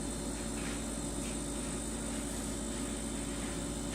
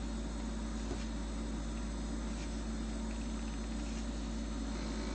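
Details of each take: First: LG LFXS24663S refrigerator after shimming the condenser drip pan and fan shroud: low, steady hum with faint tones and no buzz or rattle; pushing on the pan or shroud produces no resonance, so the noise is fixed. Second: Two-year-old LG LFXS24663S refrigerator, compressor running: loud low buzz around 72 dB from resonance of the plastic condenser drip pan and condenser fan shroud, reproduced by pulling on the fan assembly base.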